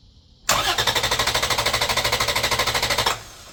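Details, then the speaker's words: 2011 Toyota Tacoma 4.0L V6 with the ECM relay pulled, cranking on a jump pack only: strong, even starter cranking at about three turns a second for nearly three seconds with no firing; deliberate crank, no start. "I typically pull the ECM relay out. That way it won't start. It'll just crank. So it's not going to start. It's just going to crank."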